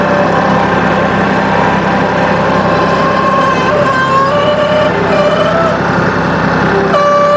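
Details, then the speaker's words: New Holland compact tractor with floppy front loader bucket, diesel running: thin whine wavering and stepping in pitch over the rumble as the hydraulic pump sucks in air, air in the loader hydraulic system. "hear that noise that's sucking in air can you hear that hear that so i don't know if that sound of air in the system was audible right there"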